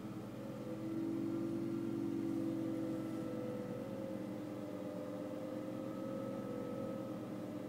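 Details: BMW E60 whine heard whenever the air conditioning or heating is switched on, gone when switched off, rising in pitch with revs and acceleration; faint steady whine over the engine, likely from blower or climate drive.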